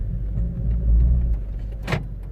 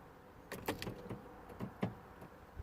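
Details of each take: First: 2012 Vauxhall/Opel Meriva B petrol after rear door lock repair (BCM code B2524-59 fault): low car rumble pulling away, then one short sharp clack as the doors auto-lock on driving off; normal door auto-lock. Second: 2012 Vauxhall/Opel Meriva B petrol, locking warning light with BCM code B2524-59: with key out or handbrake pulled, irregular clicks and clunks from the doors, relay clicking, lock actuators cycling repeatedly.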